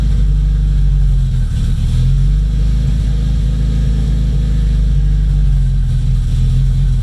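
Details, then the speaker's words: Freshly rebuilt Nissan KA24DET at first start, idle surging and sagging every second or two; owner says vacuum leak from untightened lines to the blow-off valve causing jumpy rpm; oil line just retightened, oil pressure good. "i definitely have a vacuum leak because i didn't tighten all the [ __ ] going to the blowout valve so [Music] i should probably tighten that because i'm not digging the jumpy rpms right now"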